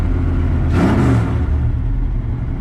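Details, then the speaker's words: Ramp truck with new billet distributor and aftermarket fuel pump, not yet up to temperature: steady deep rumble with a brief smooth rev, settling to an even clean idle; sounds good, normal running. "But let me get this thing, man, this thing sounds good."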